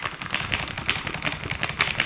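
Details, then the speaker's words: Range Rover L405 5.0 supercharged V8, removed passenger-side front driveshaft flexed by hand; irregular gritty clicks and crunches, notchy, then locks; worn CV joint, shaft being replaced. "Oh yeah, I don't think this is supposed to be like that. Can you hear that? And now it's locked."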